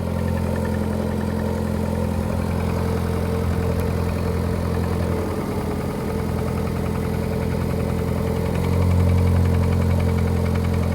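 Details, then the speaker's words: Lada Priora 16-valve 1.6 petrol, 28,000 km, cold start after sitting overnight: dull regular knock three to four beats a second at idle; disappears when cylinder two is disabled, piston knock, started recently. "ребят Сейчас я вам покажу как стучат поршня на Приоре 16 клапанный мотор 126 1698 лошадиных сил стучать начали совсем недавно"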